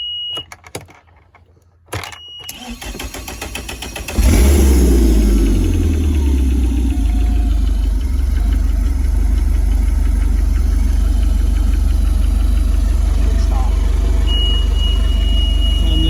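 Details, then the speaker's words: Mercury 150 outboard after fitting a new alternator, previously charging only about 10 volts: starter whirs, engine settles into a steady run and a high steady alarm tone sounds again; owner suspects the new alternator popped and burned out. "Still going off. And I think I heard it pop and burn the new alternator out."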